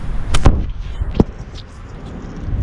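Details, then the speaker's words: Mercedes S500 W140, passenger side, body pushed up and down: two sharp hollow clunks from a worn sway bar link, which goes with a vibration felt in the wheels at 50–60 mph. "i don't know if y'all hear that but that's the noise you're gonna hear that's that's the passenger side that's the noise you're gonna hear"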